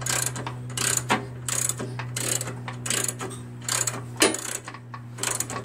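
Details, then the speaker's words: Old Jacobsen Imperial 26 snowblower with a 6 HP Tecumseh engine: each recoil starter pull gives a ratcheting, gear-like clatter over a low hum, about once a second. It has compression; the owner suspects something loose, cause unknown. "I don't know what the noise is and when you pull it that noise"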